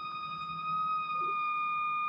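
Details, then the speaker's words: Mesa/Boogie Mark IIC+ Reissue on a variac at about 100 V, master at zero: steady piercing whistle at one pitch heard from the preamp itself, not the speakers; oscillation caused by reverb cables routed too close to the tubes. "You can hear the amp oscillating physically oscillating from the preamp, not through the speakers."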